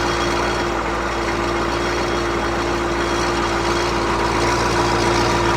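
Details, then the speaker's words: CUCV 6.2/6.5 diesel at warming fast idle, surging slightly, with a faint regular mechanical rattle of three or four taps a second; owner suspects the loose right-angle bracket from the power steering pump to the block near the starter. "I almost guarantee you that rattle you hear that rattle it's a little bit mechanical noise"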